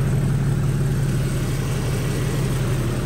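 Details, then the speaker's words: 2012 Infiniti M37x V6 idling after radiator replacement: low uneven puffing pulse about three a second from an exhaust leak at a failed gasket. "is leaking somewhere. Oh, there we go. Alright, we need an exhaust. Oh shit. Gasket is done."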